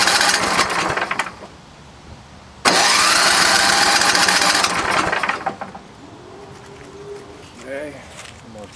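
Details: Vintage snowblower small engine, fuel mixed with 2-stroke oil: catches in loud uneven bursts, dies away, surges again; stumbling on water from carburetor bowl (half gas, half water), drained.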